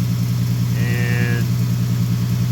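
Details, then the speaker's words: 2015 Ford Mustang idling after a new water pump and new cap (old cap's inner pressure part had come off): smooth, steady low hum, brief faint whistle, no whine or squeal; engine bay much quieter than before; normal idle. "apparently it must be going on for a while because it's it's the whole like the engine bay is like so much quieter now than what it used to be"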